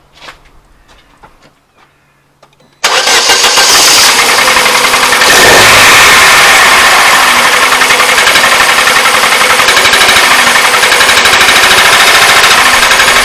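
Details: Astra engine due for replacement, about 1,300 miles driven on it, cold start: it catches after a silent pause and settles into a loud, fast metallic rattle of three to four ticks a second, seemingly worse than before; source unconfirmed.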